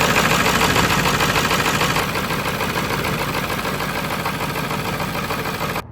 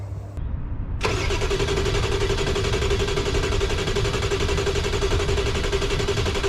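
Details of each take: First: 1995 Ford F-350 7.3 Powerstroke diesel with a crank-no-start, IPR valve replaced, in freezing weather: even diesel clatter at idle about three beats a second, no misses or knocks; normal idle. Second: 1995 Ford F-350 7.3 Powerstroke diesel, freezing cold: starter cranks the engine evenly at about four beats a second for several seconds but it never fires; crank no start, owner suspects the IPR valve; IPR and CPS sensor replaced, still no start.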